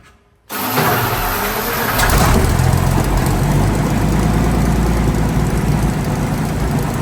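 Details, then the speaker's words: Centurion ARV after the magnetos were re-timed and aligned to the crank: catches quickly, with no strain on the starter, into a strong, even deep idle. Owner notes it lacks fuel pressure but says the timing is now right. Normal start. "but now I'm pretty sure time wise she's all right she starts perfect yeah that starts how you want it to start don't it no no strain on the starter"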